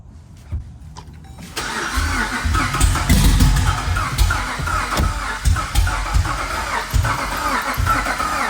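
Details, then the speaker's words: Jeep Grand Cherokee 5.7 Hemi after a cam install and new tune, not yet started: quick, light cranking at about three and a half beats a second that spins too freely, like no plugs in, never catches; timing suspected way off, not confirmed. "So it sounds like kind of like it's free spinning like there's no plugs in it. >> That's how you know it's not. >> The timing is way off."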